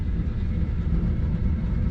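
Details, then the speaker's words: 4-pipe fan coil unit not cooling, set to cooling mode during troubleshooting: steady low rumbling whoosh with no knocks or squeals as blower spins up and runs evenly. "Snowflake and fan it came on yeah all right hold on I hear the fan"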